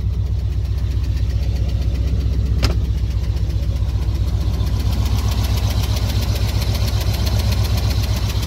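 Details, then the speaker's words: Truck after replacing the faulty crank position sensor: steady low idle with even, regular pulse, no misses or knocks, still slightly shaky but much better; normal idle. "Still kind of shaking around a little bit, but man, that sounds a lot better."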